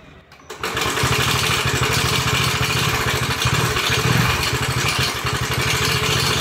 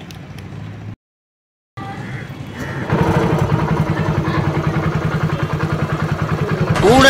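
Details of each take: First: TVS XL100 six months after purchase, before full engine overhaul: starts into a harsh clattery running note with heavy metallic rasp over the beat, pointing to badly worn engine internals. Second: TVS XL100 after full engine overhaul (new barrel kit, head, valves, oil seals, clutch shoe and bell, timing chain and tensioner), previously noisy at six months old: even, steady single-cylinder beat at a smooth fast idle, no knocks or rattles; healthy.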